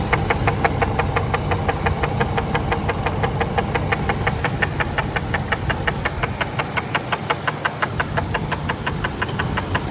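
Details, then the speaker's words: Ford SVT Lightning V8 at idle: sharp, regular knocking about three times a second that sounds like rod knock but comes from the broken PCV baffle that fell off inside the valve cover; fixed by replacing the valve cover. "This is where the PCV valve goes, and this fell off. It's supposed to go here. Came out, broke. It's making tons of noise in the engine."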